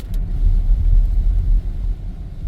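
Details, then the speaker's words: 2016 Volvo XC90 driving over bumps at low speed after replacing driver-side outer and inner tie rods that caused a front clunk around 25-30 mph; only tire and road rumble, no clunk. Alignment still pending. "I don't hear any more clunking noise all you can hear is the road noise the tire on the road but that's why as for the clonking I think it's gone"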